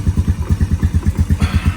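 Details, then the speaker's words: 2012 Honda Recon electric-shift ATV that sat over six months, started first try without choke at 58°F, no smoke: quick, even single-cylinder thumping about eight pulses a second with no misses or knocks; normal idle. "try started right up that's amazing no smoke running off the magneto"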